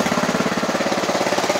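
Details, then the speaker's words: Scrap Honda GX160 driving a DC dynamo as a 12V generator, governor set to about 1000 rpm, choke on: slow, even single-cylinder thumping, steady and unlabored; normal slow idle. "this engine is set to about 1,000 rpm so it's running much slower that means it's using a lot less gasoline or petrol and it's also making a lot less noise and it's also a lot less wear on the engine"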